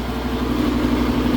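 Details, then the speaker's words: Trane AC unit with variable-speed compressor and drives, serving a bar: steady machinery drone with a wavering, uneven hum from a failing condenser fan motor that is not over-amping. "it's also like a condenser fan motor going down in there but it's not over amping so that's a plus yeah that's a problem that sounds like junk"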